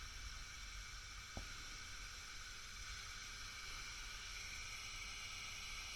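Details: Fender Bassbreaker 15W tube amp head after repair (shorted R13 found, red-plating output tube), brought up slowly from about 150 V: soft even hiss with faint low hum, no crackle or popping; idling normally, no red plating.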